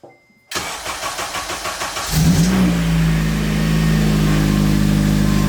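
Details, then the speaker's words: 2008 Acura TSX CL9 (K24) first start after rebuild, fuel pump primed: even cranking about four beats a second, catches cleanly, flares briefly, settles into smooth steady idle; no oil leaks. "So, it fired right up as you guys heard. Crank, crank, crank. Started up. We are back."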